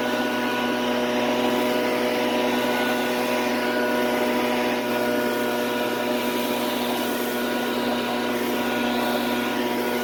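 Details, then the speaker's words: Shindaiwa two-stroke backpack blower running after a no-start repair: it holds a strong, steady high-pitched drone at constant revs with no stumbling or hunting, and it blows leaves, pecans and small twigs powerfully. "so it turns out this blower is an absolute monster when it comes to blowing leaves I almost forgot how awesome a good Backpack Blower can be to use especially when it comes to heavier items like pecans and small Twigs"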